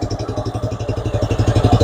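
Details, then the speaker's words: Engine misfire on a running car at idle: uneven, lumpy exhaust beat that stumbles badly instead of running smoothly; engine also stumbles when revved. "okay this fine automobile has a misfire we can verify that let's go ahead and crank this baby up we'll get it running here how do you guys know it's misfiring stumbling real bad you can see it"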